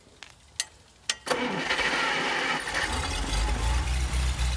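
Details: Cold start of a display-mounted Packard 356 nine-main-bearing straight-eight (late 1940s–early 50s), run without a fan: a few clicks, then it catches and idles unevenly, note rising and sagging as the throttle is worked; stumbling cold idle.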